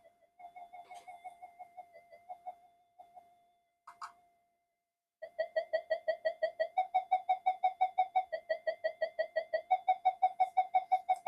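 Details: Minelab GP Extreme metal detector on the bench with intermittent no-audio fault, touch-sensitive boards: wavering whistle pulsing about three times a second from the speaker with no target, the alien sound, no detection depth; cause not yet found.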